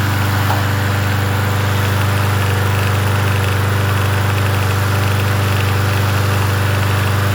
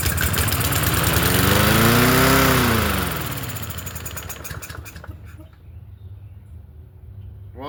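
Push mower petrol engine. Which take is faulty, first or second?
second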